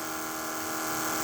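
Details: Trans Am nitrous fuel pump after several minutes running, holding 9 psi with a 78 jet, battery charger on 30 amp boost: steady smooth high-pitched electric whine, no stutter or rattle; pump runs evenly, stays cool, healthy.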